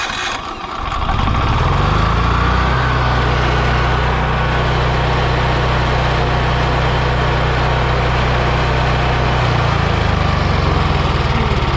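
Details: Free Yamaha generator running on propane, on a near-70-degree day, after starting trouble suspected from the choke being closed and flooding: after a rough catch with the choke pushed in, it settles into a steady, even drone of constant pitch; normal running.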